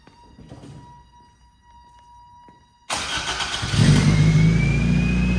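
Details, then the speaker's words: 1987 Toyota MR2, mid-mounted 1.6L DOHC fuel-injected 4-cylinder, 5-speed manual, about 42,000 miles believed original: cold start, short crank then catches cleanly and settles into a high, smooth cold idle; healthy. "With that, let's fire it up. This is going to be a cold start, and take it out on the road."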